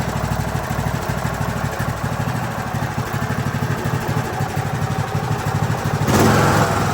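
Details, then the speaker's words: Craftsman YT3000 riding mower with donor replacement engine, first start after fuel added and carburetor filled, jumper pack hooked up (no battery); catches and settles into smooth, steady chug with no knocks or misses, normal idle. "So let's see if we can get ourselves a first start on this. Smooth."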